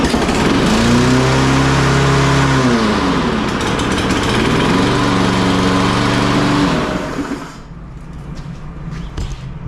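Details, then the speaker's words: Free Craftsman lawn mower with broken blade adapter, fresh oil, full tank of gas: small engine idle pitch climbs, drops and climbs again before dying down; surging, hunting idle, owner plans carburetor bowl check, cause unconfirmed. "all right I'm not 100 satisfied with the way that I tell the idle is on this it wants to go up and down"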